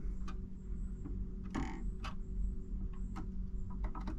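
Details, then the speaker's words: Marantz 6100 turntable after the popping fix, ground U-connector hooked up, volume about an eighth: low steady hum with soft mechanical clicks as the tonearm returns and the motor clicks off cleanly; no speaker pop. "and there's the motor clicked off no pop"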